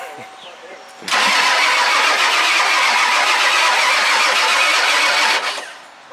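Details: Ford F250 diesel: loud steady cranking churns for about four seconds, then stops without catching; it turns over but does not start. Cause suspected, not confirmed.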